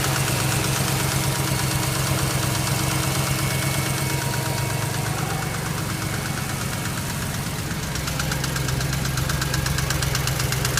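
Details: BMW X5 engine at idle with a hard, uneven knock of roughly three per second over the engine; the owner does not know the cause.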